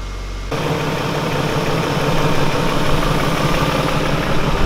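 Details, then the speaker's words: BMW E39 540i, March 2000, 280,000 km, 4.4 L V8 286 PS, slightly leaking oil: catches and settles into a smooth, even burble with steady low rumble, no knocks or misses; engine judged to sound good; healthy idle. "beide Seiten eure Motor hört sich gut an"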